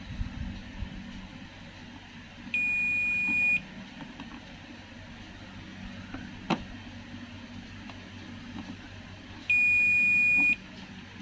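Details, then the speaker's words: Toshiba 32P2400VJ LED TV, blank picture with backlight on: two steady high-pitched multimeter continuity beeps, about a second each, showing a short; capacitor or DC-DC converter IC on the VDD line suspected. "kalau saya hubungkan begini nampak bunyi terdengar bunyi beep dan itu artinya terhubung atau short"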